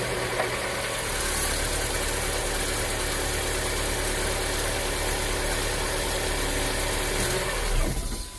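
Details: 2015 VW Fox, cold-morning start after repair of a morning start-up noise traced to the pistons and cylinders: settles into a steady, even idle with no knocking or ticking; normal cold idle.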